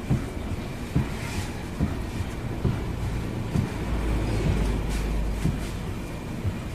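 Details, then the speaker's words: Mitsubishi Xpander with engine idling and the wheel turned quickly left and right; dull, irregular low clunks about once a second, felt in the steering over bumps and barely heard engine-off, despite a new tie rod end, stabilizer link and bushings; steering rack suspected. "grabe yung lagutukan dito sa ilalim at ramdam na ramdam niya sa manibela. Pag naka-off itong makina, hindi mo masyadong marinig."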